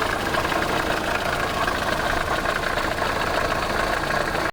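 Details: VAZ 8-valve engine at idle: faint metallic tapping riding on top, quick and regular with engine speed, a clicking internal knock; cause said to be found.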